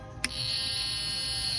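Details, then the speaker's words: Lionel CDV-700 Geiger counter after replacing the corotron tube and selenium rectifier: a click, then a steady high-pitched speaker buzz with the needle pegged; buzz persists without the GM tube and stops with the coax removed, cause unknown. "they're just buzzes if I remove the geiger Mueller tube and still does it if I remove the coax the ground it quits buzzing but the needle still pegs out but it makes a slight popping so I don't know"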